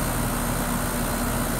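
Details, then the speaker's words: HVAC unit just after Copeland scroll compressor replacement, freshly charged with about 4 to 4.5 lb of refrigerant (unit charge about 5 lb). Steady even hum with a faint constant tone, no knocking or rattling. Normal compressor running. "compressor is running nice you can hear it sounds sweet wonderful"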